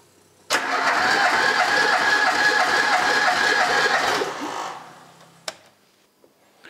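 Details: Pinto engine in a DAX project car, parked 15 years and earlier low on cylinders 3 and 4, retested after running a while. Steady, even starter cranking with no uneven beats; all cylinders read about 11.5–12 kg, balanced compression.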